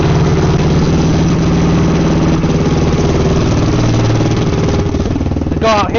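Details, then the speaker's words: Freshly rebuilt Yamaha YFZ450R engine just after first start, on choke, warming up until the fan kicks on: fast, steady single-cylinder idle holding an even beat without stumbling; normal idle. "so you guys can hear me so we're just going to let it run and heat up until the fan kicks on and then we'll shut it down check the oil let it cool down for a little bit and then we'll do another heat cycle"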